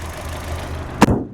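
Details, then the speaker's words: 2008 Saturn Astra XE (Opel/Vauxhall-built) 4-cylinder on regular unleaded, engine at idle with headlights on: low, smooth, even hum, no knocks, one dull thump near the end; slightly clattery, almost diesel-like, judged a normal, healthy idle. "a little bit of a clattery 4-cylinder engine almost kind of sounds like a diesel crazy"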